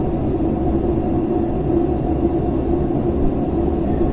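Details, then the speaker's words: GE washing machine in spin test mode after fixing motor speed sensor/belt problem: two water squirts, lid locks, then steady low rough grinding rumble through the spin; tub bearings worn out, gearbox failing, not worth repairing. "That grinding sound means that the bearings on this machine are shot. It's not going to be fixable."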